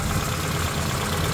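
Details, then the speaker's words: Carbureted Suzuki Samurai four-cylinder, warm, idling about 800 rpm with timing light attached on crank pulley: smooth even steady idle, no misses or knocks; timing at the 10° mark. "all right we got the engine idling roughly 800 RPM we have our timing light hooked up"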